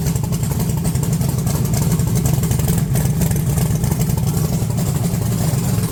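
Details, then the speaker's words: 1982 Chevy S10 V8, 60 psi oil pressure, low vacuum, no high idle: deep rumble stumbling and popping when revved, breaking up right off throttle; bad misfire, owner suspects a bad wire or vacuum leak. "right off thr right off throttle it it goes like it's misfiring really bad whenever you rev It Up"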